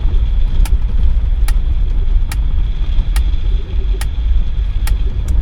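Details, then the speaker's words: Mercedes 300CD diesel, long abandoned, driving at roughly 20 mph on a hot day: a sharp tick about every 0.85 seconds cuts through the low diesel drone and road rumble. The source is unknown. "i got no idea what that noise is it's probably not good though"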